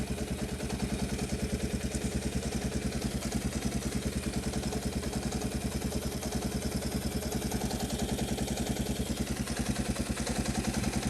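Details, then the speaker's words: 1986 Kawasaki KLT185 three-wheeler, sitting for an unknown long time, just revived: steady, even single-cylinder putter around 200 beats a minute with no misses or hunting, fuel line barely drawing fuel; clean, healthy idle. "listen to this thing it is just turnning like a kitten wow man that is crazy let her sit here and idle for a little bit that's just fantastic"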